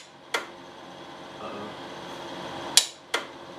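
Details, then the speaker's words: Polaris Xplorer ATV with a newly installed starter under the engine, not run for three months, bumped while upright: three sharp clicks with nothing turning over; owner suspects the relay clicks but isn't making the connection. "relay could still be bad to even though it's making it noise maybe it's not making the connection"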